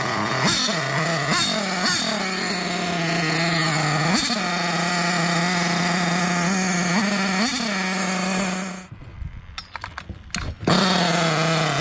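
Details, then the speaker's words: Hobao Hyper 7 RC nitro car, JL .28 engine on its stock carburetor; high buzzing idle jumps sharply to near full revs on each small throttle blip, then cuts out; erratic throttle response from faulty carburetor, later swapped for HPI carb. "It felt like it was just going from no throttle to max throttle, and I was only bleeping the throttle, so I couldn't understand it."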